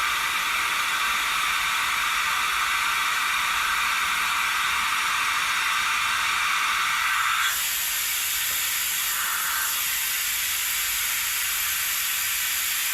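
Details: Vacuum extractor draining hydraulic fluid from a John Deere 110TLB at 4100 hours during a hydraulic oil change: loud steady airy hiss, easing slightly in tone partway as suction settles; running normally.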